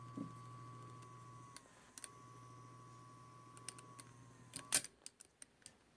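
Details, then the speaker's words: 1942 Zenith 7S682 radio-phonograph record changer after cleaning the switch contact points, run at 78 speed: quiet, steady low hum, faint even tone, no rumble or scraping, then handling clicks; normal turntable motor run. "all right check that out smooth as anything"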